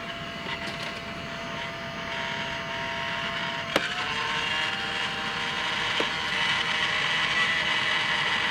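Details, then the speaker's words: USB rechargeable desktop vacuum, two-speed, battery possibly low: thin steady high whine with faint rattly internal ticks over airflow rush; weak suction, can barely pick up paper, crazy noise inside. "Well, it's trying to pick up this paper. Not very powerful. I want to give it a good... There's also a crazy noise going inside of this thing."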